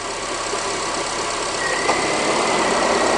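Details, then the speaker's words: 2005 Honda Accord 2.4 VTEC idling after belt-squeal repair: steady even idle, smooth hiss, no belt squeal as the air conditioning cycles on and off; the pulley no longer wanders and the tensioner holds; quiet belt drive. "but yeah it's a lot quieter obviously no squealing at this point with the aircon coming off and on"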